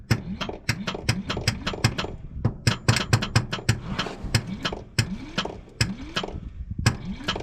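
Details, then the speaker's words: 1953 Chrysler New Yorker, 311 Hemi seized after sitting 20+ years, winter: solenoid works but starter gives irregular heavy clunks and clicks without cranking the engine; owner wonders if it's positive ground and spinning backwards, cause unconfirmed. "Pretty sure it works, but for some reason it ain't spinning like it should be."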